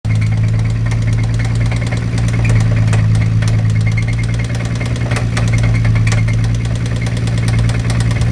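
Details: Nissan 350Z with a spun bearing: deep, loose, uneven but persistent knocking under a steady idle from the bottom end; engine knock at idle.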